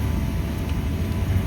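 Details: Two-year-old 100-ton Trane IntelliPak rooftop unit, heard at the blower while economizing, blower at 100% showing about 1 inch static against a 2-inch setpoint: constant deep unbroken roar of air and fan heard building-wide; blower overspeeding from faulty static pressure sensing.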